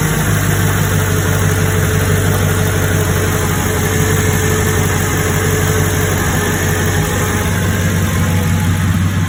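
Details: 2005 Mercedes CLK500 M113 V8 just after valve cover gasket and breather cover replacement, engine cover off: deep, even idle with a steady low rumble and no ticks, misses or rattles. Normal idle.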